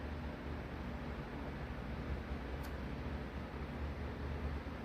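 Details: RTX 3090 Strix GPU in a mining rig, reference healthy fan: steady even whoosh with low hum and no clicking, unlike the clicking, slower-spinning faulty fan.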